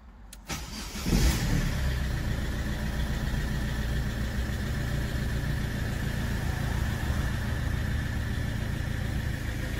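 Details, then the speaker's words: Ford Fiesta 1.4 TDCi diesel after heavy maintenance: brief crank, catches cleanly and settles to an even idle with steady clatter, no misfires; the earlier one-to-two-second delayed start is now fixed, pump full. "Maşallah. Pompamız da tam dolu. Yerinde. Sanki araçta bir iki saniyelik geç çalışma vardı. O da düzeldi."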